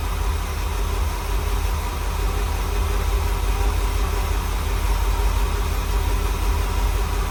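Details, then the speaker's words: Rebuilt small block Chevy V8 in a dump truck, first runs after rebuild, manual choke cable not yet hooked up, 50 lb oil pressure: steady, even low idle rumble with no knock or misfire, engine sounds healthy; previously knocked badly before rebuild. "I still haven't hooked up the uh it's got a manual choke cable. I still got to hook it up. But she sounds pretty good."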